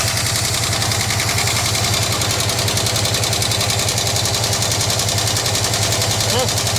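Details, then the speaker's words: 1967 Lincoln Continental that sat about 29 years, at first start with choke on while building oil pressure; fast even ticking clatter about three to four ticks a second over steady idle, noisy valvetrain. "she got some clatter huh I got the perfect fix for that"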